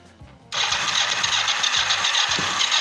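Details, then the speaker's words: Kawasaki GPZ 500 café racer, hard to start in the mornings, cranked on a more charged spare battery. Starter spins about four turns a second with an uneven cough; it catches briefly but won't start. Dry carburettors suspected, not confirmed. "¡Op! Está tirando agua, claro. Dale un poco al aire. Ha tosido, ¿eh?"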